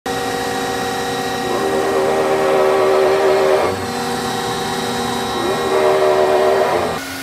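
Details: Large hydraulic gear motor run as a pump, not broken in; loud, steady gear whine with a mid-pitched drone shifting slightly with load, no knocks or grinding. Normal for a larger gear pump, without the odd noise the customer reported.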